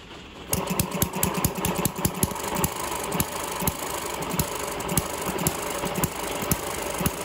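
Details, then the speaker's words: Eachine ET6 hit-and-miss model engine after O-ring water leak fix and slackening head bolt pinching exhaust rocker shaft: sharp pops one to two per second, each followed by quiet coast; governor working properly, normal running. "see the governor's working much better"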